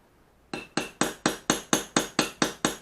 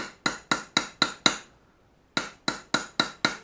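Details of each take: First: Japanese plane back blade during ura-dashi, supported on a pig-nose block under its hollow back: ten even hammer taps about twice a second, each a short clean clink dying quickly — correct, safe striking that won't crack the blade. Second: Japanese plane (Ishido Teruhide) back blade during ura-dashi (pushing out the back): sharp ringing "tang-tang" hammer taps about four a second that rebound — wrong, the blade sits unsupported over its hollow back and can crack; fix is a pig-nose support under it.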